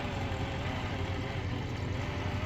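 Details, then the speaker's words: Pfaff Hobbymatic 807 sewing machine after fixing the motor's rubber drive wheel, whose flat spot from sitting caused buzzing and rattle: smooth, even hum at steady speed with no rattle or buzzing pulses. "This no longer has the typical buzz for the uh FA Hobby Matic 807. This is what it sounds like now."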